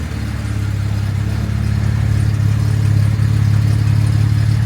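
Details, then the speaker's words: Jaguar MKII after reassembly, idling just after first-try start on untuned carburettors; owner says it runs a little rich. Deep, steady burbling idle with slightly uneven pulse: rich-running idle, suspected from untuned carbs, not confirmed. "And I haven't tuned the carburetors yet. But I can tell you, ooh, wow, that's a little on the rich side, boys."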